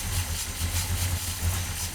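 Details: 1972 Plymouth Duster 340 V8, cold first start with choke held: lumpy, uneven idle surging a few times a second and struggling to settle; ignition timing too retarded.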